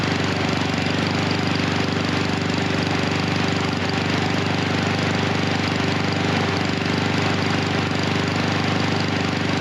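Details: Husqvarna HU 700F mower with choke that slips back on after being pulled off. The engine chugs at a fast, uneven beat with occasional stumbles and no clean steady note, running rich and rough with the choke stuck on.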